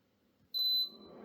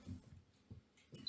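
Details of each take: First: Germanica portable induction cooker switched on with no pan: one short loud high beep then cooling fan winds up; refuses to heat, no pan detected. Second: Germanica portable induction cooker being switched on: a few handling thumps, then one loud, clear high-pitched beep about half a second long; normal power-on signal.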